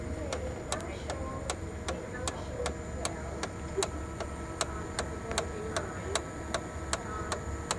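Sharp ticks about two or three a second over a low running hum, pointing to worn fuser drive gears and bearings.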